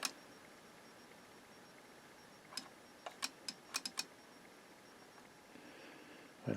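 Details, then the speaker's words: AIWA TP-724 tape recorder on the bench at first power-up after mechanical repairs, drawing 1.7 W: about six sharp, uneven relay clicks within two seconds, the relay chattering when it should not be clicking. "1.7 Watts relay clicks I don't think the relay should be clicking now"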